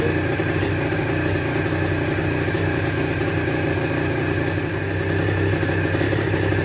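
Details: Aprilia RS125 1990s two-stroke on temporary battery after coolant leak repair, with new air filter and modified airbox: crisp, even buzz with a light rise in revs, no misses or rattles; running sweet.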